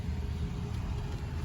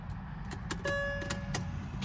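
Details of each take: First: 2007 Mercedes-Benz S550 base model after fuel pump replacement, primed by cycling the key: steady low, even idle rumble with no misses or stumbles, starting cleanly and running smoothly. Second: 2007 Mercedes-Benz S550 cranking before starter fluid is sprayed; starter turns the engine over in short bursts, it catches briefly and dies; no start from a failed fuel pump, starts when starter fluid is added.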